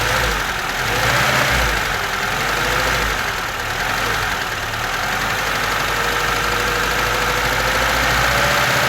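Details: VAZ 2101 engine with new rockers, camshaft, valve guides, valves, chain, sprockets and pistons, valves adjusted, good oil pressure; light ticking knock three or four a second at idle, cold and hot, heard from under the valve cover, cause unknown.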